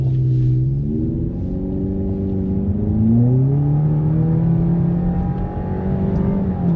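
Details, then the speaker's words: Subaru Impreza at about 101,307 miles on its first hard take-off onto the freeway: engine note climbs smoothly through each gear, drops at the shifts and rises again, with no knocks or rattles; healthy pull. "Sounds pretty good. That's basically the first time I ever really tried to take off in it. Feels good, sounds healthy."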